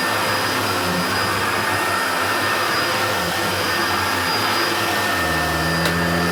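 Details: Hoover Turbopower Junior U1222 upright vacuum, little-used example that had seized on its pivots, running: steady motor roar with constant high whine, no rattle or bearing growl; sounds better than the other U1222, healthy motor.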